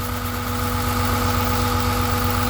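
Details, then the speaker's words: 2000 Honda Accord with flashing check-engine light, coils unplugged one at a time: unplugging a center coil on the firewall bank changes nothing, leaving a steady uneven lope with one dead cylinder; a bad ignition coil is assumed. "Oh, we got a winner. I'm gonna go ahead and plug it back in. Yeah, absolutely no difference."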